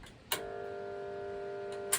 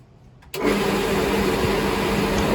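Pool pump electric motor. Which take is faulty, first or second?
first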